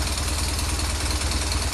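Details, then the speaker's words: BMW R 1200 R motorcycle at idle: steady rapid rattling clatter unchanged when clutch pulled and released; timing chain tensioner suspected, and on opening the tensioner piston was found not working, likely loose; replaced. "никто не меняется будем разбираться грешу на натяжитель цепи грм"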